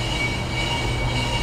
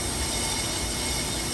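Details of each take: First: Brake lathe machining a 2008 Ford Flex front rotor, with a drum-brake rubber band as a makeshift vibration damper: a steady motor drone with a thin, scratchy metallic ring as the bit bites high spots. Done when the scratching stops. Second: Steady, even hiss and hum with no chatter or grab while a brake lathe on slow feed makes the finishing cut on a 2008 Ford Flex rotor; cutting smoothly and leaving a smooth finish.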